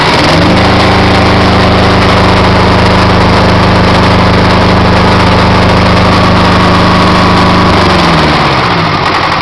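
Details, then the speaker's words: Perkins 402C diesel after valve face regrind and head gasket reuse, alternator connected, oil pressure about 48–50 lb: steady, even diesel beat with no misses or knocks, settling near the end; runs clean with no smoke beyond normal diesel smoke. "but she runs fine with no smoke other than the diesel fuel smoke I find no issues at all"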